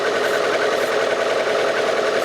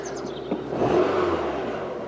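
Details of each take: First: Rover 216 SE convertible that failed its MOT on emissions because the idle does not drop back low enough; owner suspects an air leak or a sooted idle stepper motor. A fast, even idle that never settles down: idle speed too high. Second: Rover 216 SE convertible warmed up for a couple of minutes. A smooth, steady, even low hum at roughly 800–900 rpm with no surging or hunting: a normal warm idle.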